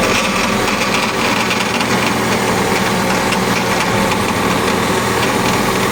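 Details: Cat hydraulic pump with the engine running: a loud, harsh, gritty drone without letup. The hydraulic pump is abnormally noisy and rough; the cause is not identified.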